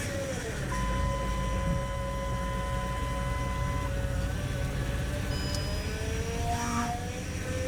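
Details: 2007 Range Rover Supercharged (L322) at idle during bleeding after high-pressure power steering hose replacement: wavering whine as wheel swung lock to lock; fluid still bubbly, pump drawing air.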